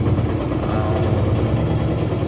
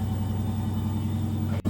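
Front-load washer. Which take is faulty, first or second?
first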